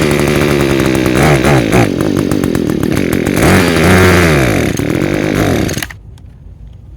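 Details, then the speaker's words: Echo two-stroke with Zama carburetor, already rebuilt with new diaphragms and gaskets, jet screw fully out: runs only on near-full choke, surging and hunting, then cuts out off choke. "run on partial choke, almost full choke. If I take it off of choke, it will not run."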